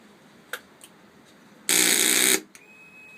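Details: Honda 919 motorcycle: a harsh, rasping buzz bursts out for under a second then cuts off, from the starter solenoid buzzing.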